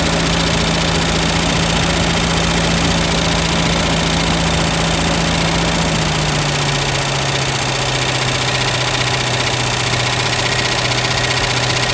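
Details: 1967 Lincoln after lifter replacement, once start-up clatter quieted: steady idle with light uneven tick that softens a little; original lifter noise gone, owner suspects a quieter lifter tick on driver's side.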